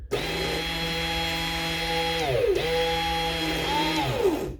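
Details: Shear Cordless Mk2 rechargeable battery shears held open for repair: smooth, steady motor whine winding down cleanly twice as the switch is released. Motor and switching work; the fault is a worn switch activator not pushing far enough. Normal motor running.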